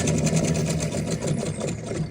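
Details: Samsung refrigerator: fast, even, buzzy sewing-machine ticking from the freezer that stops when the door opens. Freezer fan blades are striking built-up ice behind the ice maker assembly and back vent wall.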